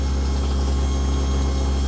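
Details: Newly installed 1 HP Waste King garbage disposal (replacing 1/2 HP Badger) running during second hot-water drain leak check: steady, even low hum with no knocking, rattling or grinding; healthy.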